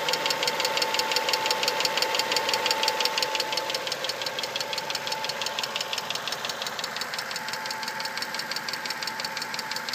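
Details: 1992 Mazda 626 GLX 2.0L 16-valve 4-cylinder petrol engine at or slightly above normal operating temperature: steady, sharp ticking about three a second at idle, rising in frequency with rpm; cause unknown.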